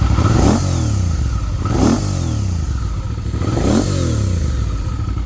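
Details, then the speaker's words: 2005 Suzuki V-Strom 650 with a low-mileage replacement engine (swapped in for rod knock) and a Scorpion muffler: three clean throttle blips, each rising sharply and falling back to a steady lumpy twin idle with no knocks. Normal revving. "Okay, it sounds better this way. That Scorpion pipe's pretty sweet. I dig it."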